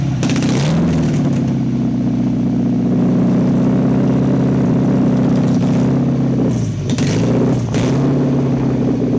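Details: 1992 Nissan 240SX petrol engine with a running problem: rough, uneven idle, its low hum wavering and dipping instead of holding steady.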